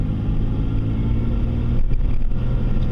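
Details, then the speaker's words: 2001 Chevy Venture after replacing the front wheel bearings, driving straight and turning left: steady engine hum and road noise with no roar. This is a normal wheel bearing sound after the repair. "I don't know if you can hear it or not hear it, but there's no longer a roar when you're turning left and when you're going straight."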